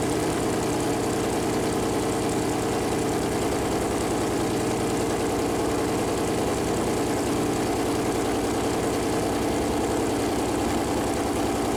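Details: Freshly built Chevy Performance 454 big-block V8 on a run-in stand, first fire-up: deep, steady idle with an even rumble and no knocks, ticks or misfires over twelve seconds. Normal idle; the oil-gauge plastic line later hit the warm headers and leaked.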